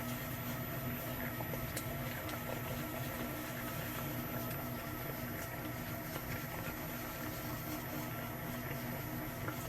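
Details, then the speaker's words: KYS Pro Baker 7+ spiral mixer at its maximum listed batch, 4.8 kg pumpkin dough, around 250 RPM: quiet smooth hum with faint steady tones and soft flour swish, no strain or grinding; normal running. "This thing is so quiet that I can hear when it gets to the dry spot. You can hear the flour swish against the bottom of the bowl."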